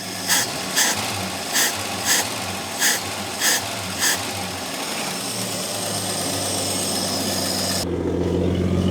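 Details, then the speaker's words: AMC Rebel SST after 35 years sitting, running after fuel pressure/needle-and-seat flooding issue settled; a few clicks then steady even idle with deep smooth burble through a glass-pack muffler, no longer rattly. "Does it have a muffler? It does. Looks like it's got a glass pack. That's why it sounds so good."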